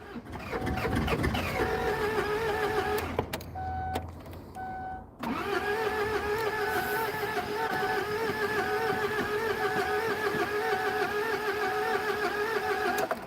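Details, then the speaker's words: Kia Sedona with glow plugs, after priming fuel with the hand pump: long steady starter whir at about three cranking beats a second that never catches; it cranks but won't start, and the owner suspects air in the fuel line, possibly glow plugs. "And that sounds like I've suddenly lost compression. I shouldn't have. But yeah, that's gone soft. So that means I've got air in the fuel line."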